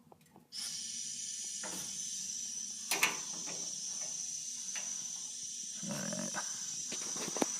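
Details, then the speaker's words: Old Maytag gas dryer, pilot lit after replacing the high-limit switch: steady soft hiss starts suddenly and holds even as gas flows freely to the pilot. "can hear the gas running all right I'll turn the light off so you can see it running all right that's the pilot"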